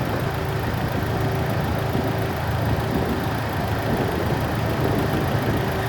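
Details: Rebuilt, machined 2.0 L four-cylinder at idle. A light, fast tick rides over the steady idle and keeps pace with engine speed, suggesting a valve-train tick. Hydraulic lifters bleeding off pressure are suspected, but it is unsure whether they are solid or hydraulic. Not confirmed.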